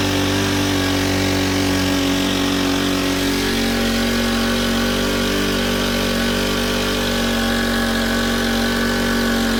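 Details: Honda FG110 with GX25, replacement carb being tuned, idle set high for warm-up: steady, even fast idle, pitch stepping down slightly as speed is adjusted; runs smoothly, normal.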